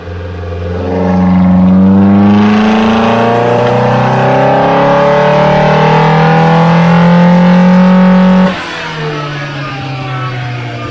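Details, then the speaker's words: Mildly modified Datsun 1600 L20B with twin Webers on a dyno after jetting changes: pulls up through the revs under load, running too rich and misfiring between 3,000 and 4,000 rpm. "the engine got a little bit too rich between three and four thousand rpm you can hear this on the dyno run where it misfired"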